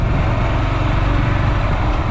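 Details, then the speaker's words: Honda GB500 single with quiet exhaust, ridden on a short break-in ride: steady, low, even thump under way with no popping or banging on the overrun, unlike the owner's louder GB500. Normal running. "like the other bike at this speed would be popping we'll be banging"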